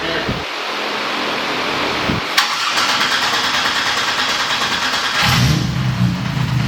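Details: American Supra 4200 engine on the dyno after repeated pulls, clattered when put into gear; on restart it cranks, fires, then harsh metallic clatter from the bellhousing area; flexplate-to-crank bolts coming loose.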